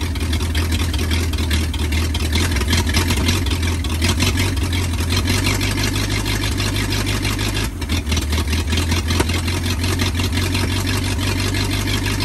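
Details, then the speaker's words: 1939 Ford 1.5-ton truck, flathead V8 parked about 65 years, new condenser, wired directly to battery, water added: low even idle burble, no knocks or misses; idles and runs pretty good, carburetor a little weak. "well I got to say she runs pretty good she does idle that carburetor is a little weak but she runs pretty good"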